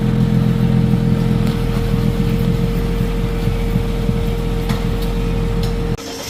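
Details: Toyota Camry exhaust leak before patch repair: loud, deep exhaust rumble with rough, uneven puffing and a faint steady tone over it.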